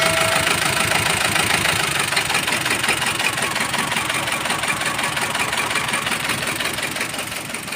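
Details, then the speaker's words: Mazda BT-50 diesel with rough sound, cabin-wide vibration and no power: harsh idle with an uneven knock nearly three per second clattering over the engine. Cause found was a broken camshaft and rocker. "Inilah penyebab suara mesin yang kasar dan getaran yang terasa di seluruh kabin."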